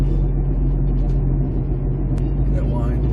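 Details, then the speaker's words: 2008 Jeep Compass, front passenger wheel bearing: steady low humming drone under road noise while driving, quieting when turning takes load off the bearing; earlier bearing-nut tightening only helped briefly; worn wheel bearing hum before replacement. "up so that's what that humming noise is and you can tell by doing your turns and it depends on which way you turn and which which side gets quieter because what's happening is you're taking a load off the bearing when you're turning"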